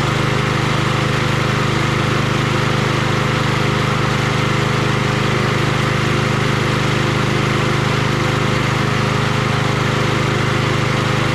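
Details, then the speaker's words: Troy-Bilt 21" XP self-propelled mower 12AI836M011 after a sheared-keyway repair (transmission shot): its small single-cylinder engine started on the first pull and holds a steady, smooth drone without vibration while some smoke clears. Normal running. "i'm gonna let it run for a little bit see if that smoke dissipates eventually but it's uh smooth doesn't vibrate or anything"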